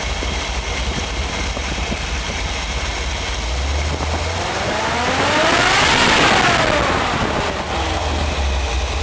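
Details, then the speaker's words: Chevy 454 big-block in a Willys with a four-speed, after grinding valve reliefs into the pistons for a higher-lift cam: idles around 700, temperature about 60, oil about 40 psi; rumbles evenly and revs cleanly with no knock, tick or miss. "Runner sounds good all right okay this is what I get to enjoy"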